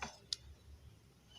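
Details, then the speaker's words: Automotive 5-pin relay bench test: a sharp single click as power is applied, then quiet, then another click when power is removed; the relay switches properly and is working. "ini saat ini dikasih harus seperti ini nah ini ke Hai disini akan terpengaruhi detik akan tertahan terdengar bunyi detik-detik Gimana ada karena Bapak gile mulai aktif nih sini"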